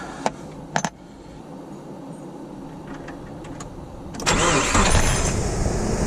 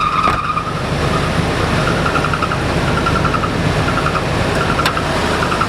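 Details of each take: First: 2000 Nissan Frontier after tightening the squealing alternator belt: engine fires after a few clicks and settles into a steady, even run with no belt squeal; sounds healthy, squeal fixed. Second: 2000 Nissan Frontier engine running with a really bad accessory belt squeak: a high, thin squeal comes and goes in bursts, a loose belt slipping on its pulley; tightening the belts is the planned fix.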